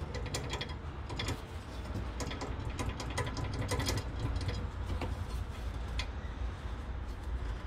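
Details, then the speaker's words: Front end recently rebuilt and engine also repaired; irregular sharp clunks and clicks over a low rumble, traced to front suspension bolts left loose after the front-end work, then tightened. "bu ses yapan önemli bir konu o ön takımdan çıktıktan sonra bazı civatalar Allah razı civatalar gevşek kalmış"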